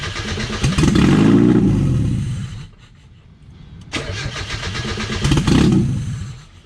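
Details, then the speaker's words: 1995 Mazda Miata no-start troubleshooting, missing whole intake and vacuum lines, little oil: engine catches and surges a second or two then dies, twice; owner suspects missing intake and vacuum lines. "she wants to run but there's something not right either it's because i'm missing my whole intake in vacuum lines"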